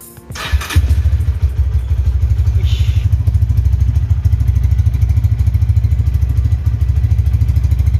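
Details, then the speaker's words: Honda Tiger Revolution 2011 single-cylinder motorcycle, 10,800 km, cold start using a little choke: brief starter crank, then catches into a steady even thumping idle with no ticking; healthy cold start. "ini posisi lagi dingin teman-teman jadi nanti aku starter itu suaranya jeblok Suaranya kayak galak banget pasti gurih banget bring banget teman-teman"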